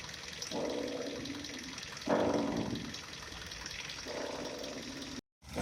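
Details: Kia Rio 4 front suspension: creaky squeal bursts about every two seconds as the wheel is turned back and forth; the upper strut mount was suspected, but the cause was the ball joint, later replaced; ball joint squeak.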